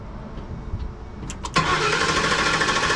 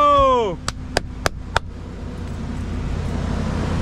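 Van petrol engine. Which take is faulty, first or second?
first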